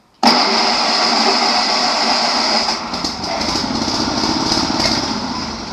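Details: Sears lawn mower, restarted after adding gasoline and an earlier spark problem: small single catches at once and settles into a steady buzzy drone with no misses or knocks. Running normally.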